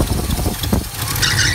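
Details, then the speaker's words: Small-block Chevy 350 V8 in a square-body truck idling low and lumpy, nearly stalling as the distributor is turned to retard the ignition timing, before setting initial timing with a timing light. "You hear how it almost died?"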